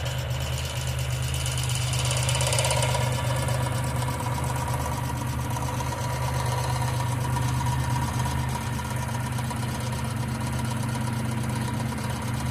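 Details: 1995 Geo Metro idling: a light, fast ticking at around three to four per second over a steady idle, pointing to a noisy hydraulic lifter.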